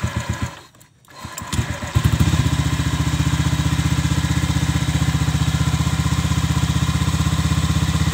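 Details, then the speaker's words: Honda Vario 125 (old model) stock CLD racing-style exhaust, before the glasswool packing is replaced: after a brief start, a thin, raspy idle with no deep bass; worn silencer packing. "Jadi dia itu udah nggak ada ngebas berdemnya gitu."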